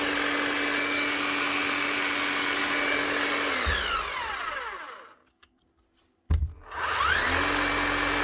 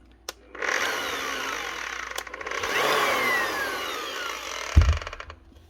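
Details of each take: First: Bosch GBH 8-45 D rotary hammer after repair of broken eccentric gear, two new O-rings and fresh grease: steady even hum at constant pitch then smooth wind-down, twice; no grinding or rattle, running normally despite minor armature damage. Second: Bosch GBH 8-45 D rotary hammer from 2022, tested at reduced speed: the motor whirs freely with faint light clicking and neither hammers nor rotates. The eccentric gear is suspected broken.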